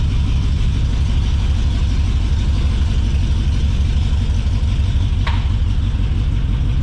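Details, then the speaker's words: LS-swapped Chevy S10 Xtreme V8 while driving: deep, uneven drone with a lumpy beat and one sharp pop, plus a weird vibration. The owner wondered about an exhaust leak. "moving yeah it runs awful do you hear that not sure why it does that"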